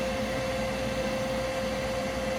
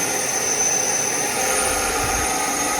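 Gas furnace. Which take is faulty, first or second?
first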